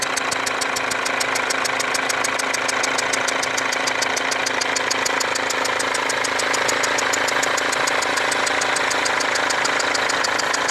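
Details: Mercedes W204 diesel at idle with a leaking fuel injector: strong, regular ticking about four per second and a faint hiss from the injector area, with burnt-on diesel residue around the leaking injector.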